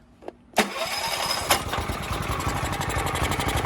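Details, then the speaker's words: Mitsubishi MGE 4000 generator sat a few years, only runs on choke, auto idle off, before carburetor cleaning: catches and runs with an uneven stumbling beat about four pulses a second, then sputters out; dirty carburetor and stale fuel. "even that, it still doesn't run well. I'll put auto idle off. Sputters out."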